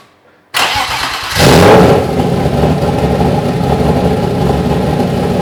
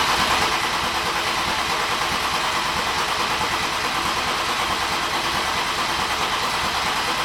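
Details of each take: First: Turbo-conversion BMW M50/M52 straight-six after new high-output coils and a 4-bar MAP sensor, fuel pressure set to 3.5 bar, coolant not yet added: starter whirs, the engine catches and flares, then holds a steady high idle of about 1300 rpm, meaner-sounding than before. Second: BMW M50/M52 straight-six turbo build, already filled with oil, cranked before its first start to bring up oil pressure: steady, even starter whir with loose rhythm and no firing; normal priming crank.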